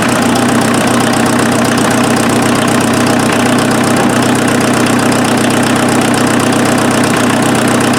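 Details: Offroad Mazda engine after an easy fix to a combustion leak, fired up with coolant topped off to check for bubbling or pressurizing; it settles into an even, steady idle with no knocks, misses or hunting, running smooth and healthy.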